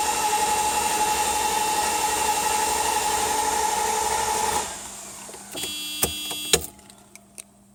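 Even starter whir pulsing about four times a second for several seconds, engine never catches, then it stops: cranks but won't start.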